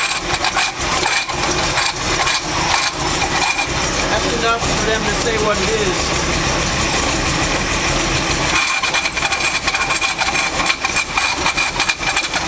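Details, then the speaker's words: 1984 Chevy C10 at idle, engine fan off, after fitting new power steering belt; rough idle with thin high squeal coming and going, settling to a steady chirp: belt slipping, cannot be tensioned enough. "works for a second but the belt keeps on slipping like we just can't get it tight enough"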